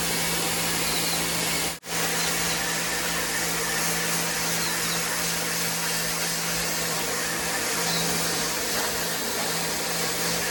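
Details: WAP Extreme Turbo 2800 pressure washer cleaning stone floor under load, steady even motor hum with constant low tone and spray hiss, no surging or knocking: normal running under load.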